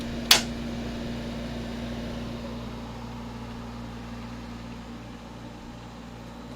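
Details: 1970s Westinghouse 6,000 BTU air conditioner, newly installed, 70°F humid day: one sharp click, then a low steady hum and soft airflow with no rattles; running quietly and normally.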